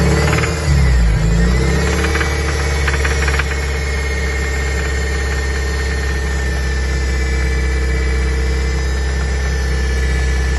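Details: 2002 Toyota MR2 Spyder, 86.7k miles: a faint, uneven tapping of about four a second with a thin squeal. The knock started suddenly, seems to come from the top right of the engine bay, and peaks around 3000 rpm; it is quieter at higher rpm and near silent at idle. The owner fears rod knock; unconfirmed.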